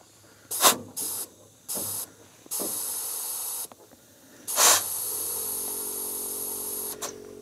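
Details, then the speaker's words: Ford F600 U-Haul truck with plugged fuel system, air blown back through the fuel line from the tank: short hissing puffs then a long steady rush with low gurgling as air splashes into the tank; line clear, no blockage. "let's blow some air back into the line that goes from the tank. If it goes freely, there's no blockage."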